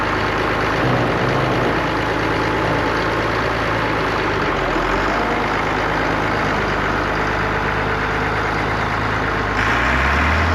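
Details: Allis-Chalmers diesel tractor just started after cracking injectors, running the electric fill pump, heat and ether: steady, even idle with a low regular beat and no knocks or misses; sounds healthy.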